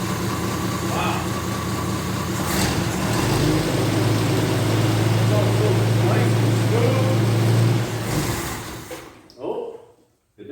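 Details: 1983 Jeep Scrambler barn find that sat 4–5 years, first start after carb work: engine catches and idles evenly, then revs cleanly with a firm rising note, no knocks or taps; runs healthy after storage.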